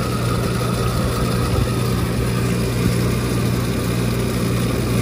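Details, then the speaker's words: Walk-in cooler condensing unit starting up: low steady drone with a rough, uneven hum; condenser fan motor sounds terrible. "it turned on you can enter fan motor sounds terrible"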